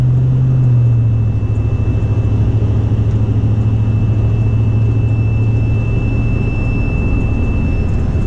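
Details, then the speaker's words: 2004 Silverado with a 50-inch curved LED light bar on the roof, driving at speed: thin, steady high-pitched whistle over road and engine rumble, changing tone with speed and fading when wind hits at an angle; light bar wind whistle. "It's that very high-pitched, just wee noise. it changes tone and frequency as the velocity of the wind obviously changes as you're driving quicker."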